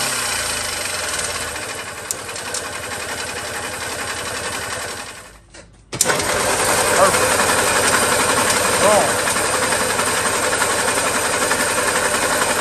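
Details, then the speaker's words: 1970s EZGO golf cart engine after internal starter-generator brush fix, on choke: cranks, stumbles near stall, then runs rough and uneven; flooding because the carburetor float needle isn't seating. "back and forth i should choke it again and see the needle is not seating in this car we flood now"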